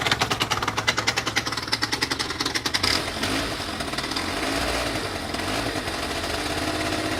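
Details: Two-stroke scooter knocking at idle, new piston and rings, no crankshaft play, no knock at speed, knock disappeared then returned after two weeks: sharp regular taps about four per second for three seconds, then smoother; source unknown.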